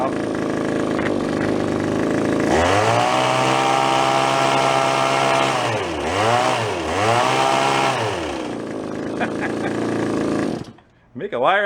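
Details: Small Japanese-made landscaper-grade two-stroke yard-sale find, carburetor diaphragm suspected stiff, started unexpectedly: idles, then revs cleanly with quick blips up and down and returns without stumbling; running normally.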